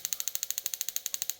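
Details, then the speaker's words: Comfort Gear PPH360-18 portable 360° propane heater, control depressed to light it: igniter clicks like a gas grill, sharp even ticks about thirteen per second for over a second, then stop; normal igniter sparking. "so when you depress this you can hear the igniter uh start clicking and sounds like a click like on a gas grill"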